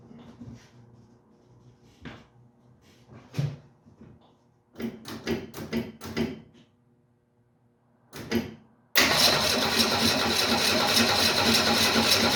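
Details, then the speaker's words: 1968 Mustang with the fuel gauge barely above empty: several cranking bursts, then it catches and roars on fuel poured into the carburetor, but dies without drawing gas from the tank, suggesting fuel starvation. "we are so close guys so close to it running on its own it almost seemed like for a second there was starting to pull gas from the tank"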